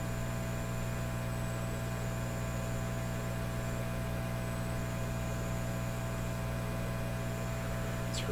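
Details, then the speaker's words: Canadian Admiral J104X/J105X console amplifier, grounding capacitors removed: steady low mains hum with a faint drifting high-pitched tone, two oscillation frequencies, one from each channel, screaming through the output transformers into 8-ohm speakers; amplifier oscillation with mains hum. "so I took those those grounding capacitors out but the oscillations are still there clearly coming from two different frequencies from each Channel so I'm going to squeal in a way and"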